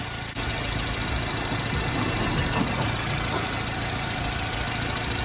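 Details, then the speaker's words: 90s Subaru Sambar KS4 carbureted engine, steady even idle after adjustment: backing it down bogged slightly, advancing gave no further idle change, so the setting was left at that point; no exhaust smell noted. "no improvement from there to here and i don't know if you can see that tiny bit i'm moving it but there's no change in idle from there ever so slightly so that's where i want it to be"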